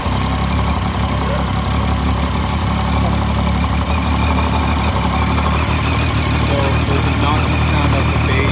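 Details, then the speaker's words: 2013 Triumph Street Triple R 675 at idle after startup: heavy, fast, uneven thumping from the bottom end of the engine. Engine knock, cause unknown, engine to be pulled. "the reason why is that there's a thumping and knocking sound coming from the base so to all 2013 triumph riders a motorcycle shouldn't necessarily sound like this"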